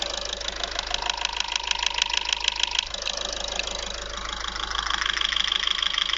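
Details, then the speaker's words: Audi A3 1.6 TDI (CAYC) diesel idling: sharp regular tick about two per second holding its beat, loud top-end tapping apparently toward the rear. Sluggish acceleration; cause suspected, not confirmed. "Ça fait quand même un sacré claquement. Ah, c'est vrai que derrière là, bon, jusque là j'en sais pas plus."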